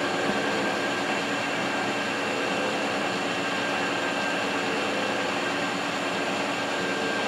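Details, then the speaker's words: Adcock Shipley horizontal mill, first run after draining gearbox oil full of metal and sludge: steady, even gear whir with a constant high tone and no knocking or grinding; sounds normal, though the motor bearings may need replacing. "doesn't sound bad and the electronics work on it"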